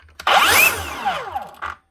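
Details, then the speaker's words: DeWalt 54V/60V cordless saw after new bearings fitted, no blade: whines up sharply then coasts down smoothly with no grinding; failed bearing had already ruined the motor, which will not keep running. "listen to that, lovely and smooth, like a new saw again, no grinding, no nothing."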